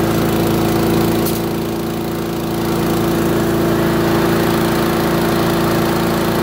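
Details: Curbside-find Craftsman lawn vacuum shredder, small single-cylinder engine with a cleaned carburetor and new spark plug, running at a steady even rhythm with no surging or misfire; it burns a lot of oil.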